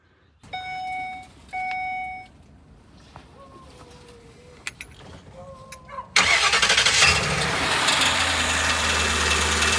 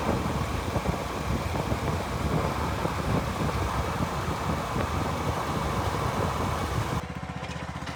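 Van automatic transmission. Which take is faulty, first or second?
first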